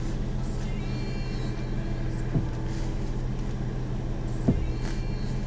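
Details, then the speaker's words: 2004 Mustang, 207,000 miles: over a steady idle, two creaky clunks from the front as the stiff steering is turned side to side; intermediate steering shaft suspected and replaced. "Mustangs got a little a little sensitive steering here a little noise in it a little bit of hardness too when I go to turn it from side to side"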